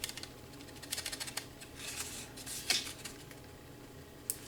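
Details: 2012 Ford F150 door shaken by hand after taping/felting panel parts: only light clicks and taps, no loose buzzing or rattle; door panel rattle fixed.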